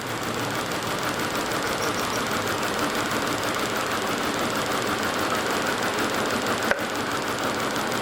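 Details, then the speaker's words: 2003 VW Passat 1.8T, cylinder-disconnect test: uneven, choppy idle with a loose irregular beat of about three a second; misfire traced to two failed ignition coils, cables also suspected; camshaft position sensor replaced. "A ver, Denis, préndelo. Ok. Anda mal. Sigue estando mal esto. Tal vez serán los cables."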